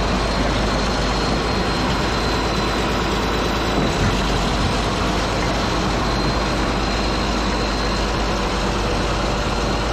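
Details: Caterpillar D8H bulldozer diesel, revived after sitting 15+ years, running: deep, even rumble at steady idle with no misses or knocks; running good.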